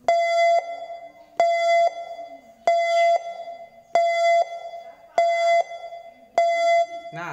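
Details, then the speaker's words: Mitsubishi Grandis driving with the handbrake still on: even chimes repeating about every 1.3 seconds, the parking brake warning. "nah bunyi pada Henry Mitsubishi Greenlight tidak difungsikan pada saat mobil jalan bunyinya seperti ini"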